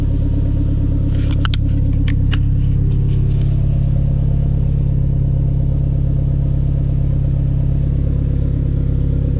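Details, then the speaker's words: Renault Megane 2 RS (F4RT), warmed up after fitting CLM Racing sport catalytic converter, full-tube exhaust behind: deep steady exhaust drone with smooth even beat, no rattles or misses; healthy. "On va faire un petit test. J'ai déjà écouté un petit peu, franchement, sympa."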